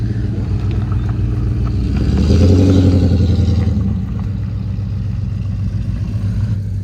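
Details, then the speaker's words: Ford LTD/Fairlane exhaust after the blown-out old muffler was replaced with a new DIY-welded Kuluin muffler. Deep, even V8 burble at idle rises smoothly and settles cleanly, with no blowing or rattles. The new muffler sounds good but slightly hollow until it carbons up and deepens. "Muffler sounds really good for now. Obviously, new mufflers do take a little while to sort of wear in. They need to carbon up and they will sort of deepen out."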